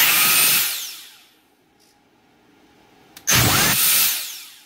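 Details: Dyson DC58 handheld vacuum motor powered directly on the bench while troubleshooting (fault traced to the battery pack): high whine winds down smoothly, spins up crisply again and coasts off evenly; motor runs normally.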